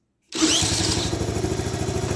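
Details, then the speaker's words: Honda ATC70 after rebuild, still cold, run with a CT70 coil and a remote fuel reservoir, carburetor not yet adjusted: starts at once, quick even single-cylinder idle, very quiet, no knocks or misses, cam chain sounds good; normal cold start. "oh yeah all right nice and quiet super quiet still cold but that's good let it go"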